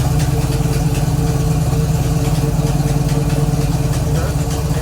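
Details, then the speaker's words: 1969 Chevrolet Camaro V8, revived after sitting 36 years, idling in drive after adding transmission fluid; deep lumpy rumble with faint uneven tick from a bad header exhaust leak, new gasket apparently torn at the top. "it's got a really bad exhaust leak it's it was a new gasket but I guess the top is torn"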